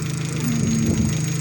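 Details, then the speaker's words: Opel Zafira 1.8 Z18XE idling after hydraulic lifter cleaning repair, oil changed and engine flushed (ticking blamed on poor oil); smooth even idle, no top-end ticking, lifters quiet, repair effective: normal idle. "гидрокомпенсаторы не стучат эффект от ремонта положительных"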